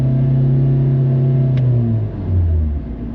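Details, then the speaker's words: Kia Forte with 172,580 miles, reported to stall all the time: deep engine note droops and wavers as revs sag and stumble near stalling; rough running like a misfire, cam timing fault suspected. "said it stalls all the time. And I believe him because when I started it up, it didn't run good. Felt like it had a misfire."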